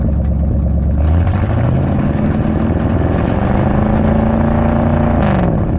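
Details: 1959 Edsel Ranger V8 just started after fitting a used replacement driver-side exhaust manifold/header; steady even rumble with a brief smooth rev, no ticking or puffing, running good and not bad for a broken manifold on it.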